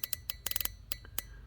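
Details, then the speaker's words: GM fuel injector on the bench, driven at about 12 V by an Arduino Nano through a MOSFET with random pulse width and delay: sharp irregular clicking ticks, some in bursts; the injector is opening and closing properly. "and what you're seeing is the output digital output is flashing at a random number and a random delay and flashing that blue led and if you listen real close you can hear the injector clicking"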